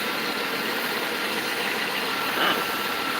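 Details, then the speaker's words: 2000 Dodge Caravan with overheating and coolant drip: steady airy hiss over soft even idle, heard near EGR valve; owner suspects the EGR valve is leaking, unconfirmed. "oh that's a hiss from the EV EGR the egb that we can hear that you can hear that right right that sucker is leaking"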